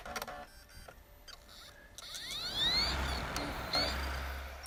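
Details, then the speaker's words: PS4 Blu-ray drive after earlier buzzing: rising whir sweeping up in pitch over about a second then settling into steady spin; disc spins up fully and keeps spinning as it should. "that's what it's supposed to do it's supposed to fully spin up the disc and then keep on spinning it"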